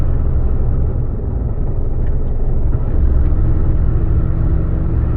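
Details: 2011 Ford F-150, about 230,000 km, road test on highway: heavy, uneven low rumble and driveline shudder, less on decel, returning on coast, fine in neutral with light throttle; cause was failed rear axle pinion bearings, axle rebuilt, gears saved.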